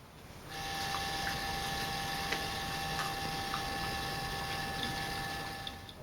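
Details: CGX telescope mount slewing before firmware updates of hand controller and mount controller: loud, steady, high whining tone with faint ticking; outdated firmware drives the stepper motors noisily, silent after full upgrade.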